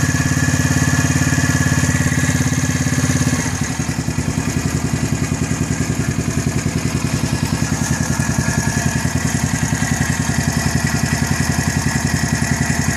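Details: New Gilera 110 motorcycle at a steady idle: regular ticking beat, about three and a half per second, riding over the engine note; strange engine noise, source not identified.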